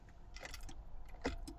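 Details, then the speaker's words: 2001 Land Rover Discovery TD5 automatic, 286,000 miles: turning the key gives several sharp relay clicks from behind the dashboard but no crank; wiring and relays checked and ruled out, ignition barrel also checked. "I've just got a relay clicking behind the dashboard now I went all over Facebook YouTube all the rest of it find a load of videos about bad bits of wire uh bad relays all that sort of stuff none of those were the problem"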